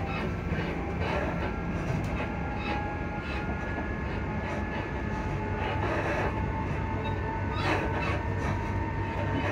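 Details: Class 334 electric train rolling near Edinburgh Park and Haymarket: steady rail rumble with irregular knocks and rattles, noisy suspension, cause not yet pinned down.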